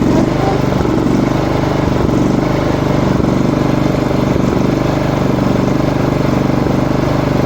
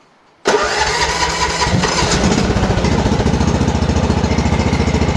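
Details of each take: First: Small lawn mower engine chugging with an uneven hunting idle, RPM jumping; blowing air into the fuel feed makes it run normally. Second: MTD lawn mower after repair for RPM jumping/hunting at idle, filter refitted: pulls once, catches right away, settles into a steady even putter with no hunting or surging; normal start and idle.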